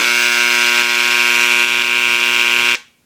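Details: Dremel engraver set to the 3rd speed setting: loud, steady, high-pitched buzz held evenly for under three seconds, then switched off; normal engraver buzz at speed.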